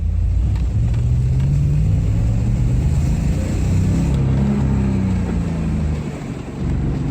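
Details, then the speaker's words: LS V8-swapped BMW E46 M3 on first drive, untouched pull-out engine, very old gas; owner suspects it needs a tune-up or plugs. Under acceleration a rough, stuttering, uneven rumble: it's breaking up pretty bad. "Yeah, it's breaking up pretty bad."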